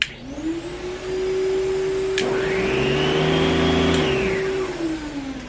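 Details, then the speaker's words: Beam central vacuum after handle and wiring harness replacement. Steady roar spools up smoothly and holds an even pitch, a second motor tone (brushes) joins midway, then winds down cleanly; healthy. "so pushing this one way is supposed to turn on the brushes turning it the other way should just turn on the vacuum"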